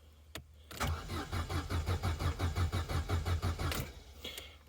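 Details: Vauxhall Corsa B that sat unused for 4–5 years: the starter spins the engine at about five even compressions a second for about three seconds but it never catches; pulling the relay made no difference; cranks but won't start.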